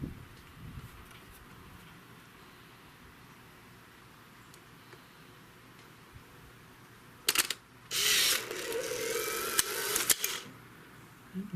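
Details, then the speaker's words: Polaroid Spectra instant camera taking its first shot after the flash charged: sharp shutter snap, then about two seconds of high motor whir as the white print ejects; normal shutter and film ejection, ready for next shot. "photo so this comes out of the camera and it comes out initially white and now it's ready for its next shot"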